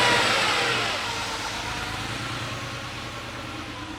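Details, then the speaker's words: Porsche 911 Carrera first start after engine teardown and cylinder head rebuild, now running after the swapped reference and mark sensor plugs were corrected: revs dropping toward idle with an uneven lumpy beat; cylinder 5 dead, its injector clogged and silent on a stethoscope. "It's running, but it sounds like it's not running on all the cylinders. And I listened to the fuel injectors, and sure enough, number 5 is not firing."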